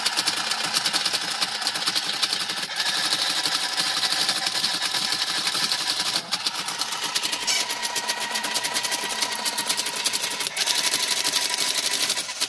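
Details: TIM8 relay computer driving a Fenix TK41 parallel-port tape printer: fast, busy chatter of relay clicks with printer ticks in bursts, steady and even throughout; normal operation.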